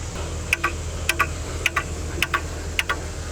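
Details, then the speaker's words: Ford bucket truck 7.3L IDI turbo diesel that won't start, engine off: steady double ticks about every half second from the glow plug solenoid clicking on and off; glow plugs or wiring after the solenoid suspected. "Where did that ticking come from? It's coming from right here. This little solenoid thingy. So that's got to be the glow plug. Oh yeah, that is the glow plug."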